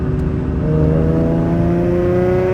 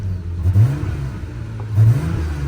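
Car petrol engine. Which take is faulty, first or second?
second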